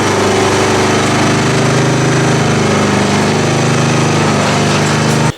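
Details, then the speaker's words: Kawasaki FC420V 14 hp V-twin on a John Deere GX1320 walk-behind mower, previously non-running, after carburetor cleaning: steady even chatter at fixed throttle with no misses or knocks, then cuts off cleanly; runs healthy. "that sounded wonderful i hope i got it on camera"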